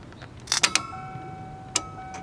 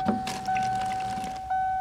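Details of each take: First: 1992 Ford Explorer (1st gen) that sat a long time: key on, relays click, fuel pump relay clicks off about a second later, no clear pump whir; pump not priming, owner suspects failed fuel pump. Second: 1992 first-gen Ford Explorer after fuel pump replacement via floor access hole, key cycled on/off: steady mid-pitched electric hum starting again on each key cycle, a normal fuel pump prime before the first start attempt.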